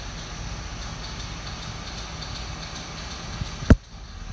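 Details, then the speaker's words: Western UltraMount 1 snowplow: light ticking and one sharp click over the truck's idle, with power present but the pump motor not spinning up; cause is a failed motor relay, an easy fix. "All right, here's an easy fix for you. Western plow, right? It's got power. Right? All you're hearing is clicking."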